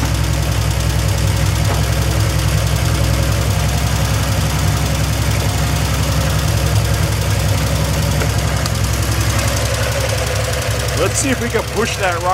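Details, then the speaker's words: 1971 Triumph TR6 six, started after 20 years in a garage. Rough idle with a loose, uneven top-end clatter. The rocker shaft is skewed with an air gap at the front, and no oil reaches the rocker tops, so the rockers bind. "run, but we weren't getting anything on the top end of the rockers happening. And it looks like the rocker shaft is kind of like a skew."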